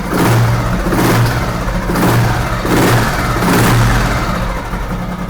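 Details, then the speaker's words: 1970 Royal Enfield Bullet single with an unopened, sealed engine, throttle blipped: deep even thump rising and falling smoothly with no humming noise or rattle, which reportedly occurs only on B1/G2 engines; engine healthy, only the clutch makes noise. "அந்த B1 இன்ஜினுக்கு மட்டும்தான், B1 அந்த G2க்கு மட்டும்தான் அந்த humming noise வரும். So அது நல்லாவே இருக்குது இந்த வெஹிக்கிளில்."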